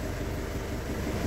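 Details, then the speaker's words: Isuzu Crosswind diesel that had low power, smoke and no pull; after removing a rag blocking the turbo intake, steady smooth idle rumble with no misses, knocks or hunting; smoke reduced. "ganda na ng tunog. Check natin kung mausok. So yun, medyo nabawasan yung usok niya."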